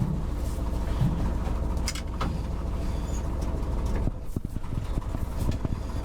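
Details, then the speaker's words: 1969 Ford F-350 original worn FE 360 V8, 4.56 gears, driving before engine swap: lumpy uneven running with stumbles, cuts out and backfires when lugged, dislikes fourth gear; dead cylinder, owner suspects valve train, timing. "456 gears in the back so first gear is really slow if you lug it very hard it starts cutting out it's backfiring a lot doesn't like fourth gear it runs but only barely"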